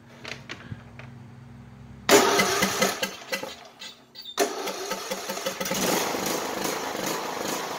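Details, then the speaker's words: Craftsman YS4500 lawn tractor, cold start after sitting a few hours: it catches after a few stumbles and runs uneven, hunting a couple of seconds, then smooths out; the owner reports it usually runs badly cold and puffs black smoke. "okay so it made a liar out of me would you know it um little iffy but once it started you know running it it smoothed out"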